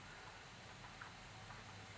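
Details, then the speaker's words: Honda Bros cylinder head on DIY leak-down rig at about 50 psi, WD-40 in the ports: soft steady hiss and bubbling of air escaping past the exhaust valve, which is not sealing on its seat. "so i'm pushing 50 according to this gauge it's 50 on this gauge and you can hear there's air escaping from the exhaust valve that little bubbling over is because i have um wd-40 in those holes"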